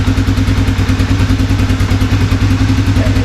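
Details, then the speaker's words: 1987 Honda FourTrax after carburetor and choke repair, warming up: single-cylinder thumping at a brisk, slightly uneven lumpy idle; rough warm-up running, choke suspected partially on. "I'm going to give it a minute to run let the Eng can get warm a little bit just see if anything kind of wanders I'm also going to loosen up this choke cuz it might be partially choked right"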